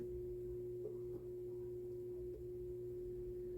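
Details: QNAP TS-253D NAS with plastic front cover fitted: steady pure hum around 300 Hz over faint street noise; the poorly designed cover resonates with the drives, lessens when pressed and disappears when removed.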